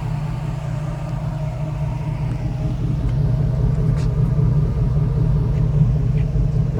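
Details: 1991 Toyota Land Cruiser HZJ75 with 6.0 LS V8 swap, hood open: deep, smooth V8 idle with a steady low rumble that builds slightly; no ticks or misses, running healthy.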